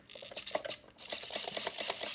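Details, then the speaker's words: Vintage Sportwerks Chaos 1/16 nitro RC car (around 2006, about .05 engine), after months on the shelf: short, quick high-pitched servo whirs that stop cleanly, with no buzzing or chatter; original servos show perfect function on everything. "perfect function on everything so yeah that's beautiful"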